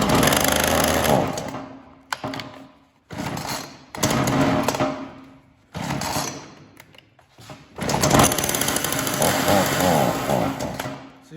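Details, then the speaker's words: Ryobi RY3714 chainsaw with brittle fuel-tank lines already replaced: short revving bursts that sag and cut out repeatedly, so it fires but dies whenever throttle is given; the owner suspects the carburetor, not confirmed. "how when I give it gas it just dies out and I thought it was because it wasn't getting fueled before"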